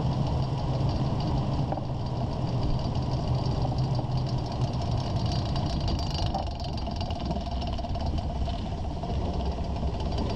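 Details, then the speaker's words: 2001 Ford Ranger, slow rolling at walking speed: low rumble with faint clicking rattle from under the truck, from the worn front driveshaft CV joint; also driver-side vibration at 50-60 mph, ongoing over a month; CV joint later rebuilt. "I've had this annoying loud clicking rattling sound coming from the bottom of the truck my speeds are about walking speeds and you will tend to hear it very loud"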